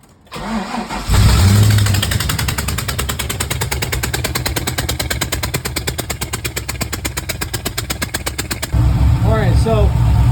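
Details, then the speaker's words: 6.0L V8 swapped into an FD RX7 at idle with one cylinder misfiring: a lumpy idle with a steady stumble about three times a second. Unplugging each coil as a balance test shows this cylinder is not contributing, and its spark plug is fuel-soaked. "suspect that it's one or two cylinders misfiring um just to do like a quick test while I was idling I went and just unhooked each coil to do a balance test and it seems like this cylinder here is not contributing whatsoever"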